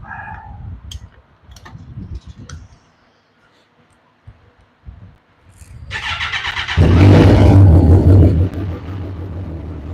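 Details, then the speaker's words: Kawasaki motorcycle started right after an oil change: the engine catches and revs with busy metallic chatter over the exhaust, cam chain and valve train rattling until oil pressure builds. "You can hear the valve train being noisy. Okay, that's all we need to do. So when you heard it, you heard the rattling, the chain drives for the valve train make noise until the engine oil pumped up."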